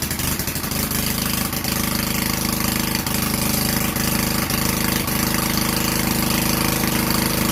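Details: Free vintage Generac Niagara generator, model 5621-0, with a 5 hp Tecumseh engine, started on the choke after replacing the gas hose and air filter: it catches after a few uneven beats, then settles into a steady, even single-cylinder chug, running properly.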